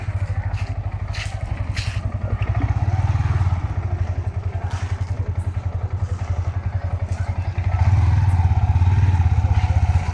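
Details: Yamaha R15 V4 single after timing chain tensioner replacement for engine noise: quick, fairly even idle with light clatter on top, nothing knocking through; sounds healthy.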